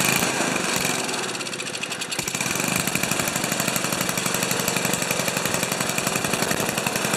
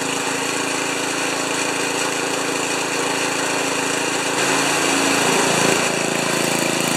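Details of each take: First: Old five-horsepower Ariens 2+2 two-stage snowblower engine, low-speed jet set around one and a quarter turns: uneven, lumpy beat at steady speed with some surging; running rough rather than a clean idle, cause not confirmed. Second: Old five-horsepower Ariens 2+2 snowblower engine at about three-quarter throttle after clearing a tiny hidden hole in the carburetor main jet: steady, even beat with no surging or missing; running healthy.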